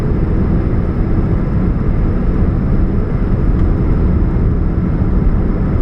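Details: 2013 Chevrolet Spark: steady low droning hum with rough rumbling underneath and no knock, from a catalytic converter exhaust leak.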